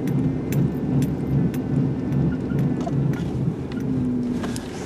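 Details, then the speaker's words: 1998 Buick LeSabre driving: low pulsing wah-wah hum from worn right front wheel bearing, getting faster and higher with speed. "as you go faster the w a sounds well I guess you might say a faster High higher humming because those bearings are sort ofous really making a lot of [Music] noise"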